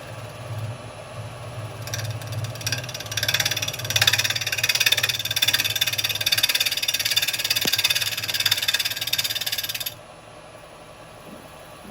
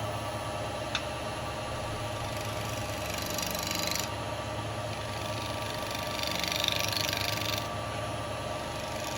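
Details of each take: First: but it's a little bit out of round so I'm going to get a bit of a bounce at first that sounds a little bit chippy there yeah Second: Wood lathe turning a bowling ball with carbide chisels, out of round at first: even, steady cutting hiss with no chatter or catches, only a couple of light bumps; smooth cutting.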